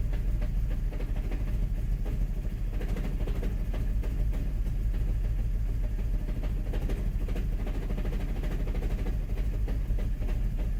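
Cold engine idling unevenly, low rumble stumbling and surging irregularly rather than running smooth; rough cold idle, cause not pinned down.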